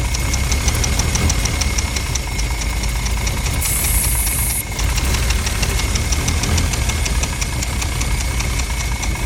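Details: Mercedes W114 280CE at idle with starter fluid sprayed: uneven, lumpy idle with a low loping beat and a brief hiss burst midway; rough idle, cause suspected, not confirmed.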